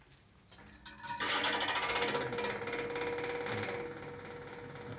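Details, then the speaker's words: Ceiling-mounted home air conditioner fan starts into a loud, fast mechanical rattle: fan motor loosely held because its rubber anti-vibration mounts are worn, torn and melted. "ยางกันสะเทือนฉีกขาดละลายนะครับแต่ทำให้ดูมีเสียงนะครับ"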